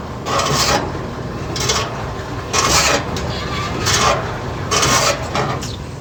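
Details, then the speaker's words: General Electric washing machine during agitation: harsh rasping scrape surging with each agitator stroke, louder with more clothes loaded, as the sagged tub rubs against its bent base. "cuando le llama ropa hoy que raspa feo que cuando echa más ropa cuando le echa más ropa dice que hace más ruido"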